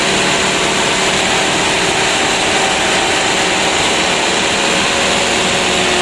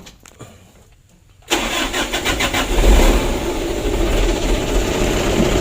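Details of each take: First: Mitsubishi Canter 125 PS Super Speed diesel after new injection pump and governor spring/throttle bolt adjustment, revved: runs steady and picks up cleanly without misses or knocks; decent throttle response. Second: Mitsubishi Canter 125 PS Super Speed diesel with hard starting and occasional stalling, tested before repair: long cranking, won't start without throttle, then fires only with throttle and stumbles unevenly into a rough idle.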